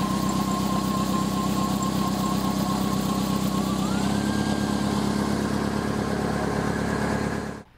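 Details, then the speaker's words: 1998 Toyota Celica GT, 2.2L 5SFE: thin steady squeal at idle that jumps higher partway through, from the main drive belt around the A/C compressor and alternator; cause could be pulley misalignment or the belt itself. "if you listen closely then you can hear the squeaking coming from the belt"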